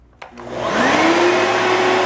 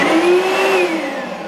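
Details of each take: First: Oreck LW100 magnesium vacuum after fixing a start-then-shutoff fault, where string jammed the brush roll bearing and the brush roll was replaced. Motor winds up quickly to a loud steady whine and holds it evenly without bogging or stalling. It now runs normally. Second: Oreck LW100 magnesium upright vacuum that won't stay on: motor whirs up to a high whine, then sags and fades within a second as it shuts off and flashes; cause is a locked brush roll.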